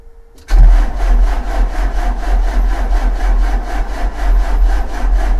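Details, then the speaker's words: 2004 JCB 2CX (212S) with Perkins Tier 2 diesel and Bosch injection pump, cranking steadily after glow plugs without catching. It is a no start after the cold-start solenoid wiring was fixed; a weak electric lift pump is suspected, and a leaking sediment bowl was later found admitting air. "still nothing so I still got no start"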